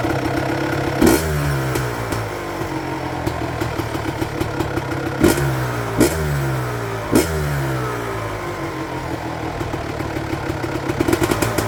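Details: 1999 Honda CR250R two-stroke after replacing the leaking exhaust gasket and springs at the cylinder: crisp idle broken by several sharp rev blips that rise and fall cleanly, no exhaust puffing, quieter at the front than before the repair.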